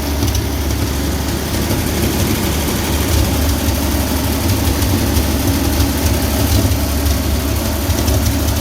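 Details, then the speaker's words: 1966 Chevy G10 van not run in 30 years, fed from a separate fuel tank through the fuel pump to the carburetor: smooth steady healthy idle, no misses or knocks. "Not running in 30 years, and now it's running idle and great."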